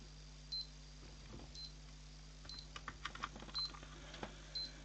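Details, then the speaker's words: PC power supply plugged into a PSU tester, nothing else connected, fan not spinning: short high beeps about once a second over faint clicking and a low steady hum; abnormal power supply noise, fault suspected, not confirmed. "the power supply is making a very dodgy noise and this is beeping so yeah something's very weird with this"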